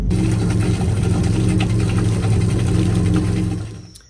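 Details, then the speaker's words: Yamaha jet boat after fitting a Solas stainless steel impeller housing and servicing the cone bearing and intake screen: a little noisy at first, then an even, steady engine and pump drone with no knocks or grinding before a clean shutdown. "start it up it's a little noisy at first but then I don't know once the water got going and it I don't know if it seeded itself a lot of quieted right down"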